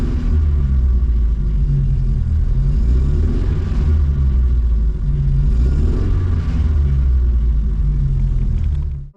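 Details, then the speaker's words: A-reg Vauxhall Nova 1.6 injection running lumpy and uneven, irregular stumbles and dropped beats, misfiring perpetually; injector number two later suspected as dodgy. Misfire. "try the next stage seeing Hyatts misfiring perpetually"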